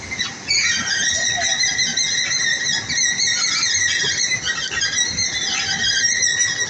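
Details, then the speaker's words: Working escalator at south entrance of Bekasi station, previously repaired: high wavering squeaks and squeals over its running noise; odd noise, cause unknown. "ya kan ini juga sempat bermasalah juga kemarin tapi ini ada ada bunyi-bunyi aneh sih"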